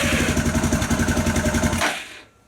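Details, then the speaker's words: Suzuki DR650 cranking on a newly fitted lithium battery, choke on, clutch in: strong, even starter cranking about seven compression pulses a second for nearly two seconds, then stops; battery turns the engine over well. "That's all right. Well, it's cranking it over."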